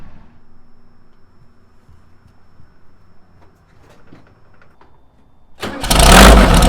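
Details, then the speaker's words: VW Beetle, cold-ish start after two to three days sitting, after replacing the noisy alternator and fan and fitting a serpentine belt: cranks, catches quickly, runs evenly with no knock; runs and charges normally. "All systems are good. She runs, she charges."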